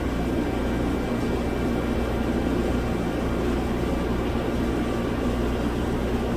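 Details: 2007 Mazda CX-9, possibly 3.5 L V6, low power, codes P0351/P0355: rough, lumpy idle on four cylinders; failed control transistor on coil 5 and coil 1 driver shorted on in the engine computer, coil 1 suspected failed too.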